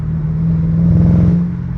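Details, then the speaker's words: 2005–2009 Ford Mustang GT V8 accelerating at around half throttle, e.g. in third gear: deep rumble with an uneven, stumbling pulse; random misfire, up to three cylinders dropping only under load, fine at idle; owner suspects lean condition, fuel-related. "what's happening is under no load the engine is completely fine it runs on all eight cylinders idling and normal driving eight cylinders as soon as my engine sees any bit of load it starts dropping cylinders"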